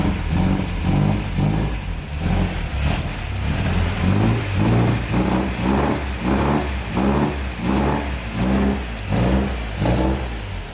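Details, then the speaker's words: MGB after restoration running on the new exhaust, formerly gapped at the cylinder head: an even, steady burble with a regular low pulse and slight roughness, very similar to the old exhaust sound. Runs cleanly with no leak chuff. "sounds very nice still sounds very nice i love the old town of the car but the new one is very good as well it's very similar um but it might be a little bit more rough"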